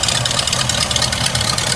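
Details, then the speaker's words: Hearse idling after its 50-mile break-in oil change and PCV hose fix, with a new custom exhaust Y-pipe. Steady, even, quiet idle with a smooth tick and no stumble or hiss; no oil leaks seen. Engine sounds healthy. "He did a really good job. Was very happy with the work he did. Sounds good. Quiet."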